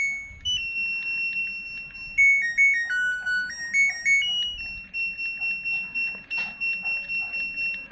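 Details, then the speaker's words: LG Smart Inverter washing machine control module, after repair of a no-display, no-start fault, powered on. Clear electronic beeps step through a short start-up tune, then steady key tones, now different from before the repair; normal buzzer tone. "Nah, bisa teman-teman dengarkan untuk kali ini baser nyalanya tuh berbeda."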